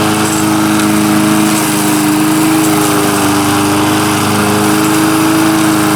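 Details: Lawn mower brought in as a no-start, now running: steady, even buzzing run at constant pitch, no misses or surging; not loud despite a loose flopping muffler; blade needs sharpening. Normal running.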